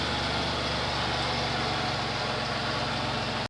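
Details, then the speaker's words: 2006 Chrysler Pacifica 3.5 after serpentine belt and pulley repair, air box off: steady even idle with only faint throttle-body intake hiss; the loud squeal from the belt area is gone. "only thing you can hear now is the throttle body because the air box is off but squeaking noise is gone"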